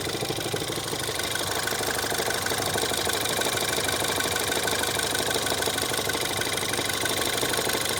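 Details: Ford Fiesta ST 180 EcoBoost at idle: steady deep knock about three times a second; Ford blames the clutch release bearing but noise persists whether clutch pressed or not, owner suspects bearing damage; source unconfirmed.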